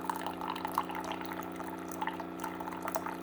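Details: Keurig coffee maker, reported as not shutting off water: steady low pump hum with water trickling into the cup at good speed, so the nozzle is not clogged. Normal pump operation.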